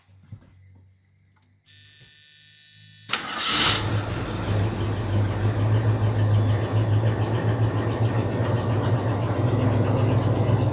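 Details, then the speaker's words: 1981 Jeep Wagoneer Limited, AMC 360 V8, revived after sitting 20+ years: brief crank, catches and settles to a steady, even idle with no clatter or banging; gauge barely leaves 0, so the oil pressure sender is suspected junk. Normal start and idle. "Well, now I'm wondering if our sender's just junk, because it obviously has oil pressure, because this thing is not clattering and banging anymore."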